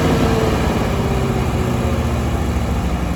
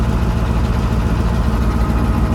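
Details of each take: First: Allis-Chalmers AC 440 tractor diesel, loader in use. Chugs unevenly, loping and sputtering with no black smoke. Owners suspect the fuel pump or injector. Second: Allis-Chalmers AC 440 tractor diesel at idle after its loping problem was fixed with a fuel solenoid and a replacement fuel pump; unsure which made the difference. Even, steady low beat with no stumbling or hunting; it now idles as it should.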